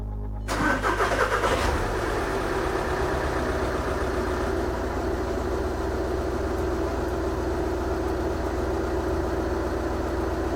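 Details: 2012 VW Jetta SportWagen TDI diesel after a timing belt and water pump change: cranks and catches within a second, then settles into a steady, even idle with a smooth clatter and no knocks or misses.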